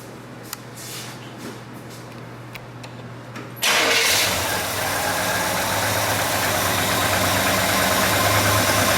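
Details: 1959 GMC Napco 4x4 truck with a newly installed Edelbrock/Carter electric-choke carburetor and new exhaust: a short crank, then it catches at once and settles into a steady, even idle with a throaty exhaust. Normal idle, runs healthy.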